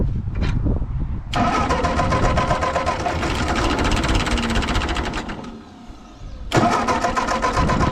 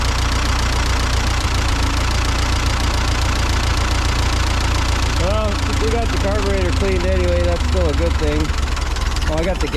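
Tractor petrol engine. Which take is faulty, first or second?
first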